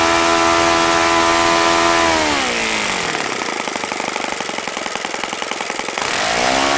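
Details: OS FS-95V model four-stroke, first run after rebuild, 15% fuel, 14x6 prop, electric start: high steady buzz drops to a lumpy slow idle, then revs cleanly back up; throttle arm too free, otherwise healthy.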